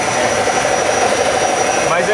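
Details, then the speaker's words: Car engine running with a steady high whine over the idle and faint roughness, heard near the engine; owner suspected bearing, confirmed as alternator bearing problem. "E aí pessoal não sei se deu para notar aí é mas é problema no alternador"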